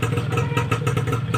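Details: Yamaha Fiz R two-stroke motorcycle after fitting an RX King CDI to replace the failed one that prevented electric starting: crisp, even idle putter with a light rattle on top, running steadily after starting cleanly on the button.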